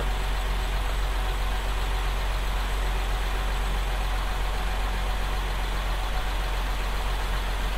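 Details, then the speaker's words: 2024 Nissan Z, started right after its first oil change with five litres added: a smooth, deep, even hum with no knocks, ticks or misses. It sounds good, a healthy normal idle. "I'll start her up first [Applause] [Applause] sounds good"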